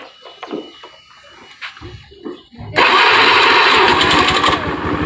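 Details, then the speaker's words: Honda Beat FI fuel-injected scooter, earlier a no-ignition fault with rough starter, after repair and all connectors and spark plug cap refitted: fires at once into a steady, even idle with no misses, then shut off; normal start and idle. "Oh ya, motornya nyala. Saya matikan ya."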